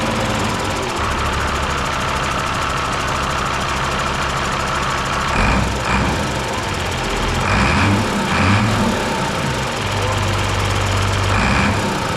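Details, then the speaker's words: Mercedes OM366A turbo diesel (170 hp) at low idle after its fuel injection pump was rebuilt and timing set to standard, slightly later; steady even clatter, all cylinders firing evenly, no misfire; normal idle. "О так ребята Олежка регулірує паливні насоси чтко от сечас от самий тихий хід всі циліндри роблять все чтко все форсунки ми не отдавали ФРН"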